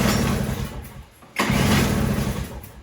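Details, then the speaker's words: Toro CCR3000GTS snowblower (5 hp Suzuki engine) restarted repeatedly until it won't start, to empty the carburetor for summer storage: it runs briefly, fades, surges on restart, then dies as it runs out of fuel. "That way I know there's no fuel left in the carburetor."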